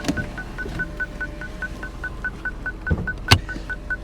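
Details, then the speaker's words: Salvage-auction SUV in park, engine running with a misfire: a high chime repeats evenly about four beeps a second without stopping; continuous warning chime. "I guess it's not gonna stop guess it's not gonna stop beeping maybe we shut it off it'll stop beeping"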